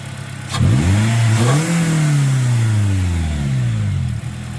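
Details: 2009 Pontiac Vibe 1.8L after new alternator and new belt: engine blipped up and settles back with a clean rising and falling note, no belt screech or whine; former alternator screaming gone, normal.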